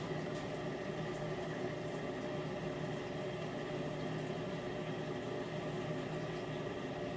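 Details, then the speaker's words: Miele dishwasher during the wash cycle: a constant low droning hum with a rough, gritty wash underneath while water circulates. Owner suspects the circulation pump or its motor; not confirmed. "like I said I believe it's the circulation pump not a hundred percent sure that I think it must be something related to that if not the circulation pump or the motor"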